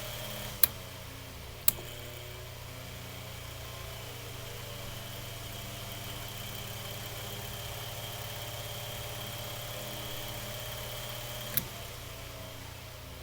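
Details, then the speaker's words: Mainstays 9-inch high velocity fan after cleaning, oiling and blade balancing, running on medium in a room below 30; steady even hum, constant airy whoosh, faint high tone, no rattles or ticks; normal, still moving a lot of air. "all right now on medium here see i can see us that's still moving a lot of air this is an extremely powerful fan"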